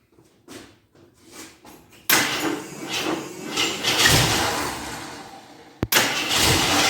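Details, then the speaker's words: 1983 Jeep Scrambler barn find, sat 4–5 years, gravity-fed from a gas can rigged as an IV: brief cranking, then it catches and runs roughly, surging, stalls and restarts; the primed mechanical fuel pump is spraying fuel over the engine. "I thought I smelled something hot I'm glad I showy off I did uh apparently I primed a Fu pump spraying fuel over the engine"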